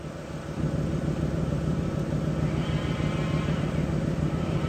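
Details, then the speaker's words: 2005 Ford Mustang 5-speed manual at idle: a faint high whine that changes speed as the clutch is slowly released and goes away with the clutch pushed in, so an internal transmission bearing rather than a throw-out bearing. "Now, this is a transmission bearing noise for sure because if you push this clutch in and you slowly release it out, you'll hear the difference in speed of the bearing."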